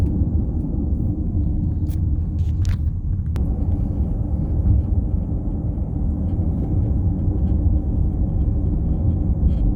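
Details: 2018 Audi Q7 SUV cabin with a steady low buzz and drone holding an even level throughout; buzzing noise.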